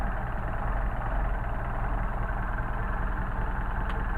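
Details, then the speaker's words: Solex carburetors on a test stand engine, cold before warm-up, idle deliberately set exceptionally low at about 475–500 RPM on an electronic tach; deep, soft, steady idle with a gentle lope, no knocks or misses, a normal cold idle. "So we are idling cold at about 475 to 500 RPM, bouncing between 475 500 RPM. Cold idle, which is pretty darn nice."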